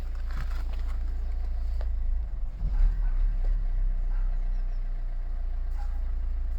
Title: Megane Mk3 1.5dci k9k engine rough idle